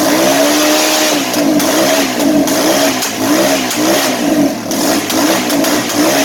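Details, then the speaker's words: Kawasaki KLR650 (auction bike, no key, ignition sorted, carb cleaner): loud single-cylinder bark with wavering revs as throttle blipped, no knocks or rattles; runs. "Well, the wife's not gonna be happy, and neither will the neighbors, but she's a runner, guys."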